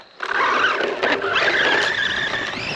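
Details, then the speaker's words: Traxxas Mini-Slash at a bash session on a ramp. A sharp rising squeal and scrubbing whine sit over the motor as it turns hard. The thin plastic front bumper, suspected to have a manufacturing defect, is rubbing the tire. "Yeah, I just don't like that rub."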